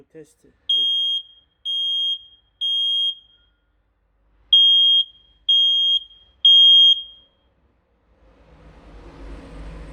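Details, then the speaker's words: 14-year-old smoke detector (since 2010) on adapter power, test button pressed; six loud clean high chirps in two groups of three, alarm working properly. "yani test ötüşüyle yani 14 sene geçmiş 14 senedir cihaz halen Acayip güzel çalışıyor"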